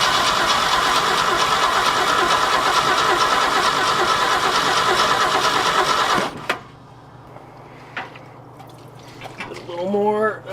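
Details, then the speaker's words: 1966 Ford F250, 352 FE V8, parked since 1992, cold February first start attempt with fuel poured in: starter turns it evenly about six seconds without firing; choke barely works, suspected no fuel through carburettor, distributor points to check. "choke it the choke's not working from inside the cab at least not very well don't think we're getting fuel through the carburetor probably gonna have to pull that thing off and do a clean on it"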